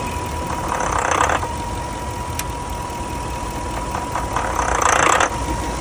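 Warm engine idling unevenly, with lumpy surges and a faint steady whine over the rumble; a rough idle, cause not pinned down.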